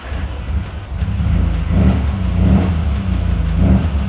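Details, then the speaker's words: Restored 1960 Austin Healey Bug Eye Sprite, upgraded 1.0 liter four with twin Solex carbs, sport header and high-flow exhaust: crisp blips up several times, dropping smoothly back to idle, clean and eager; healthy free-revving engine. "How about I start it for you so you can hear it? It's got a great little sound."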